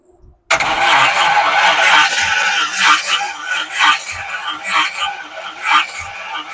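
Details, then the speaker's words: Classic Chevy Apache truck, first start after rebuilt engine, new Holley carb and new wiring harness: slow, uneven starter churning with pulses about once a second and no firing; cranks but won't start, owner suspects no spark. "Okay. I don't think I got any spark, that's why."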